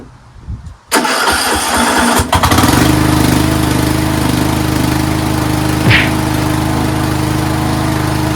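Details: Craftsman 13.5HP 30-inch riding mower, started on a rejuvenated battery after a valve lash adjustment: short crank, quick catch, then a steady, even single-cylinder idle with no stumbling; healthy. Charging was later seen running high, about 15 volts.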